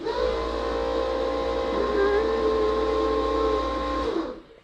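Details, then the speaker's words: Twin-turbo Subaru: a steady high-pitched electric whine over a low drone for four seconds, then it cuts out. The turbo oil scavenge pump is loud; owner considers a quieter pump or mounting it lower. "When I'm putting around with the exhaust closed, you can hear the scavenger pump going. And people look. They definitely look, even when it's quiet, because they can hear."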